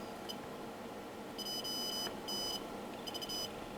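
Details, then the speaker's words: Continuity beep on an Alinco DR-570 with a dead VHF receiver: short high beeps as the tester finds a low-resistance path to ground at R10. "our r10 and you hear that is our past ground with all 30 I don't know four ohm still"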